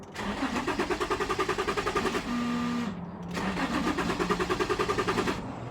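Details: 2006 Infiniti G35 that runs fine once started but won't restart after shutdown. No check engine light; slip and VDC lights stay on. Crank, cam sensors, fuel pump, regulator, plugs and programmed ECU already replaced. Even chugs, about three a second, never firing; crank no start.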